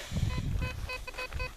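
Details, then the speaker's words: Pirate Black Devil metal detector, dual frequency 14 and 7 kHz, on an aluminium target (shown at discrimination 6): clear mid-pitched beeps repeating about every third of a second over low handling rumble. A target signal. "Βλέπετε ότι πάμε παραπάνω από 50 πόντους. Παραπάνω από 50 πόντους. Γύρω στα 51-52. Και ακούγεται κατάρα."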